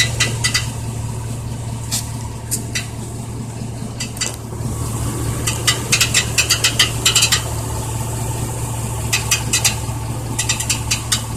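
Uneven bursts of light metallic rattling come and go over a steady low engine hum at idle; a loose rattle, source not yet pinned down.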